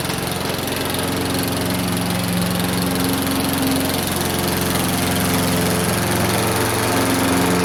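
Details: Free Craftsman lawn mower, previously taken apart and reassembled: steady, even single-cylinder chatter at constant speed while cutting, no hunting or misses; declared fixed.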